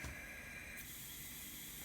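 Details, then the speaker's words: Diverter/blow-off valve on test rig at 30 psi, only 5 psi holding on outlet side: loud steady hiss of air escaping throughout; leaking badly past diaphragm, worse in this installation direction. "it is a little worse this way 30 psi we're still only getting up to 5 psi on this side so there's a tremendous array we will not actually hold pressure"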